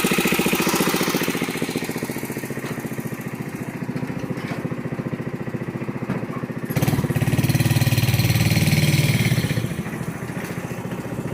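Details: Yerf-Dog go-kart repowered with a built Honda GX160, pull-started after repair: crisp, even single-cylinder putter picking up cleanly under throttle and settling back smoothly; normal running.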